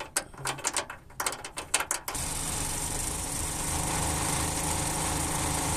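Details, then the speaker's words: Running car engine: two seconds of irregular tinny rattles and taps, then a steady hiss; external rattle from loose bolts, not internal engine damage. "A veces a algunos mecánicos se les olvida poner tornillos y la lámina del múltiple de escape comienza a sonar también a veces el sonido viene de tornillos sueltos o"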